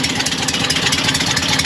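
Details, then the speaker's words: Porsche 912 flat-four idling: quick regular tick keeping time with firing from a rusted, crushed exhaust pipe ahead of the muffler; severe backfiring makes the mechanic suspect two exhaust leaks; planned fix is welding new pipe ends. "If you listen closely, you can really hear that tick. And this thing, this car backfires so bad, I'm thinking that there's two exhaust leaks."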